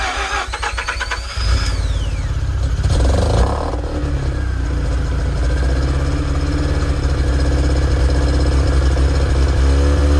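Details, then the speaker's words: Mazda RX-8 rotary, stock five years ago, start-up: short cranking catches into a loud, lumpy, uneven idle that stumbles as it settles, already showing signs of bad engine failure; worn apex seals. "I I think I might have had a hearing problem at the time cuz looking back at it now, one, the startup was already showing signs of really bad engine failure and it sounded awful."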